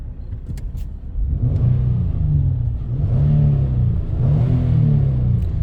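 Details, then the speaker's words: 2012 Nissan Pathfinder after a crank-no-start repair (throttle body and engine computer replaced): smooth, low engine hum rising evenly as it pulls away and accelerates on a test drive, no knocks or misses; engine running normally. "I'm driving testing this car now it's beautiful uh how we fix it details in other videos"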